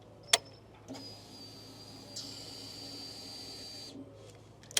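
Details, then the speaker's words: EFI motorcycle at key-on, before starting: a click, then a faint high whine for about three seconds before cutting off; normal fuel pump priming. "so when we turn on this bike with EFI we're going to hear the fuel pump start up if you don't hear this on an EFI bike and it's not starting that could be your issue so if you listen it's gonna be a wine"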